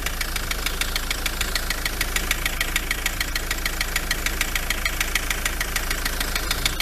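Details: Ford Transit MK7 2.4 RWD diesel at idle, bonnet open: loud, sharp regular tapping three to four per second; pulleys checked and not loose; owner suspects dual mass flywheel, still investigating.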